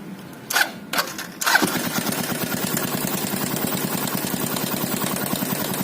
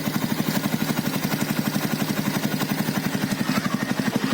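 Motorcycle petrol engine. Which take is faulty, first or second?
first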